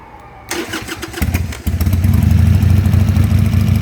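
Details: Harley-Davidson Sportster after rewiring the ignition switch (accessory wire had disconnected), choke out: starter cranks briefly, catches cleanly around 1.6 seconds and settles into a steady, even V-twin lope; healthy start.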